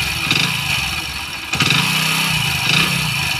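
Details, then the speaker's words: Hero Splendor motorcycle at idle, low mileage after engine work with a new cylinder kit fitted, a dull heavy knock on each firing beat; piston slap from the piston. "तो यह आवाज piston की है"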